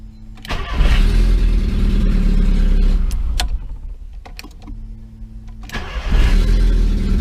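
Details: 2002 VW Gol after repair of a deteriorated starter motor and solenoid and broken injection harness plugs (phase sensor, ignition coil, coolant temp sensor): brief crank, catches at once, settles to a steady even idle; normal start.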